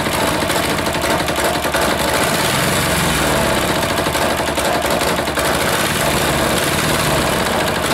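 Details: Air-cooled single-cylinder diesel just reassembled, idle adjustment off: ragged uneven beat with loose knocking at idle, smoke; rough running, owner suspects air in fuel line or leaking fitting sucking air.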